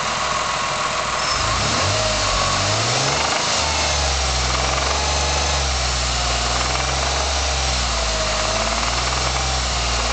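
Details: 1999 SVT Contour petrol engine idling with a light, rapid tick riding over the steady low hum; owner asks what the ticking is, cause not identified.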